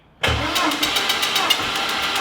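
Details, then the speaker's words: Compression test on a project engine, other cylinders reading 125-135 psi and one 110: steady starter cranking with fairly even, slightly soft pulses; this cylinder fails to reach 50 psi, low compression, engine judged dead. "nothing so that failure didn't even hit 50. PSI so I'm going to say number [Music] no more okay she did she's dead"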